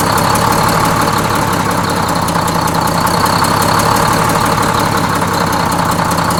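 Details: Freshly inframe-rebuilt Detroit Diesel 6-71N bus engine, with the idle being set at the governor: a steady, even diesel clatter at a settled idle with no missing beats or loud knocks. Normal idle.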